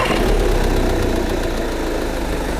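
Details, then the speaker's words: Imported diesel car over 10 years old, at idle after start-up: steady, even clatter with no odd knocks or misses; engine noise judged not bad, though the engine shows oil leakage and a replaced intake manifold. "소음은 그렇게 나쁜 것 같지 않습니다."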